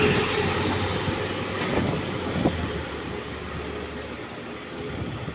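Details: Onboard a B5LH chassis bus on route 422: rough droning note rising and falling with engine speed over road rumble, unusual for this chassis, source not pinned down; noise rising and falling with engine speed.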